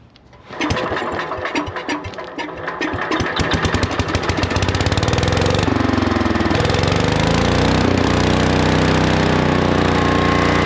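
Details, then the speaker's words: Lincoln Weldanpower 150 welder-generator, probably 1980s, sat at least 12 years; after a carb check (bowl fairly clean, main jet clear) the single-cylinder engine catches on fuel, stumbles briefly, then settles into a steady, even idle. Normal idle. "It even idles. Nice."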